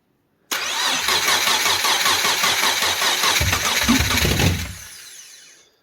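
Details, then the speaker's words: Subaru Impreza with swapped 2006 EZ30R engine on a Haltech Elite 2500 ECU, cranked via a temporary starter wire on a low battery: quick uneven cranking, it catches briefly then dies; stall cause not yet found. "It almost starts. It wants to start up. I'm dealing with a low battery at the moment, but it wants to start up, but then it dies."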